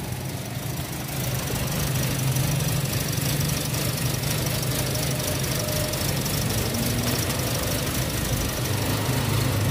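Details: Toyota Vios 2017 automatic: engine idles with an uneven, wavering low beat of about four pulses a second instead of a steady hum; rough, unstable idle.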